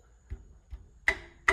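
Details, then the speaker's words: Racing car with boost-control trouble, wastegates tapped by hand: two dull taps on the quiet wastegate, then two sharp ringing metallic ticks from the other; its internal screws holding the valve plate have likely loosened, leaving it floating and rattling. "I've had the screws inside that hold the valve loosen up, and then it's just floating around. It's just doing whatever it wants to do."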